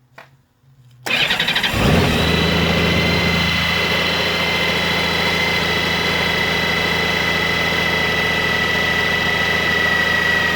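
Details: 2002 Honda Goldwing GL1800, about 111,000 miles: starter whirr then steady idle with a light mechanical rattle on startup; typical timing chain noise, not the alternator drive gear, unchanged over 20,000 miles.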